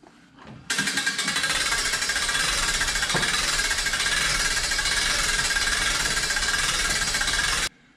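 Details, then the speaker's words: Pop-up camper roof lift being cranked after reseating the spring and tube into the lift arm system near the master cylinder: steady fast rattling with only a few light squeaks and creaks, much better than before. "There's a few squeaks and creaks, but not nearly as bad as it was."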